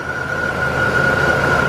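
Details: 2000 Dodge Ram Van B1500 with code P0505 (idle control system malfunction), recorded at the front of the van at idle: a steady high whistling hiss over an even idle that never changes; a vacuum leak, pointing to a cracked vacuum hose.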